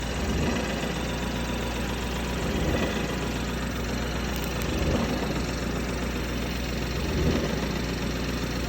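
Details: BMW F30 330e petrol hybrid at idle: steady low rumble with a faint, uneven swell roughly every two seconds; owner asks what the noise could be, cause unidentified.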